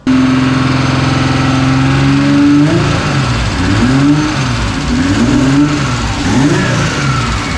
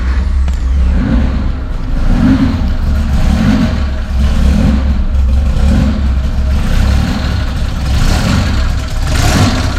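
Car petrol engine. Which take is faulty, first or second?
second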